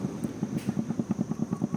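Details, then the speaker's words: Motorcycle rear top box rattling on a loose mount with a gap and free play where it slots in: fast, hollow knocking about eight or nine a second, worse when riding. "dan jadi dia akan berbunyilah. Ha masak pun dia akan berbunyi sangat annoying."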